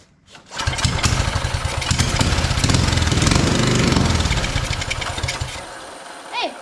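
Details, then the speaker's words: Free non-running mini bike, starting fluid sprayed in with throttle wide open: catches, buzzes unevenly about five seconds, sags and dies; spark confirmed, fuel issue suspected, unconfirmed. "actually started nice so we are getting good spark clearly um so it could be a fuel issue uh because it only started once I got that going in there"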